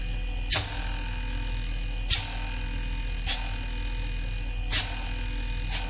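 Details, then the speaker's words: Onida/Lloyd/Whirlpool inverter AC after PCB repair: indoor motor, compressor and outdoor fan motor all running, steady low hum with a few sharp clicks about every second; normal running. "हमारी indoor motor चल रही है। आप compressor की आवाज सुन सकते हैं। हमारा कंप्रेसर अभी चल रहा है, और हमारी बाहरी मोटर भी चल रही है।"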